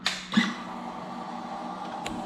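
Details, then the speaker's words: Salvage 2015 Honda CBR 600RR, 8,831 miles, key turned on after plugging in the tip-over sensor; click then faint steady electric hum for a couple of seconds, fuel pump priming normally. "So when I turn the key now with that plugged in, the fuel pump should prime."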